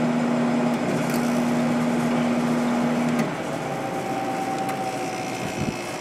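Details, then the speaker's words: 1997 Sharp 8500 BTU window air conditioner with its original air filter missing, running on a hot day: steady low hum with an even fan rush and no knocks or rattles, blowing nice cold air; normal, healthy running. "Seems to be working great. Air's nice and cold."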